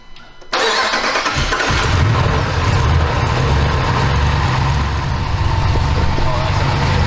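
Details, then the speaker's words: Jeep Gladiator, first start after a Hemi V8 swap on 0W-40 synthetic oil: short crank, then the V8 catches and settles into a deep, steady idle with no knocks or misfires; only a small power steering leak noted. "well it starts it sounds mean it rolls stops okay it kind of stops yeah we're getting there"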